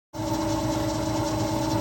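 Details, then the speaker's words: Electric Yacht 10.0 electric motor at about 1000 rpm, heard with the cover removed. Smooth, even hum with steady mid tones and no knocks or roughness: normal running. "And then when I take this off, there's the motor. No noises. Running like a champ."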